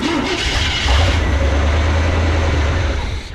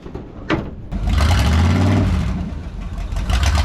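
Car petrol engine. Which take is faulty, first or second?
second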